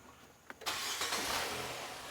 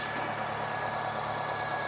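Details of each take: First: 2018 Nissan Sentra, vacuum gauge on purge valve line during EVAP test: engine catches with a burst, runs ragged and dies; stall from big vacuum leak because a tube was left off. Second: 2018 Nissan Sentra after reinstalling the forgotten vacuum tube during EVAP purge valve testing: even, steady idle hum with constant pitch, no stumble or surge; normal idle, purge valve not stuck open.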